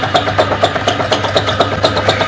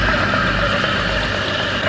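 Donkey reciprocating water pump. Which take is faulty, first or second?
first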